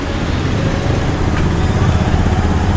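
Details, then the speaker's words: Honda Scoopy fuel-injected scooter that had been stuttering and refusing throttle, after reassembly with sensor and tensioner sorted: low, steady, even putter at idle with no coughing or stumbling; normal idle. "nih sensornya udah normal Ya udah enggak batuk-batuk atau awal tadi langsung itu enggak beraturan Nah kalau ini udah normally"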